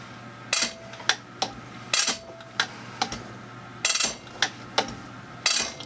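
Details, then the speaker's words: Zexel (Bosch) mechanical injector from a Kobelco SK160 excavator dormant about 17-20 years, rebuilt, on pop tester: sharp crisp chatter bursts, no dribble, fine atomization, opening pressure about 215, within spec; healthy injector. "but now you can hear that injector chattering that's one of the things we're looking for foreign good crisp chatter"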